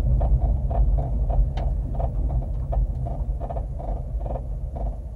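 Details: 2009 Honda Civic braking: light rhythmic squeaky-bed squeak about twice a second over low road rumble, heard only with light brake pressure; source not pinned down.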